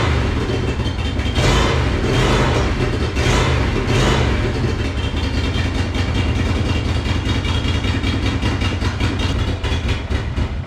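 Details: Monster golf cart build, first run after new fuel pump fitted: uneven stumbling note with irregular surges, like firing on one cylinder; sputtering rough running, owner tried adjusting the choke.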